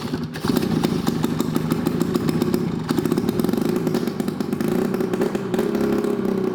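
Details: Two-stroke snowmobile ("Olympic") on its first start in years; a busy, crackling two-stroke rattle catches and keeps running steadily, the old sled engine firing and holding on its first start.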